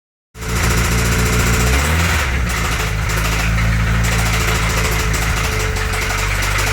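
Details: Toyota 22RE engine at steady idle: a light, fairly regular tapping knock, about four per second, that began after the valve cover was reinstalled; source not pinned down.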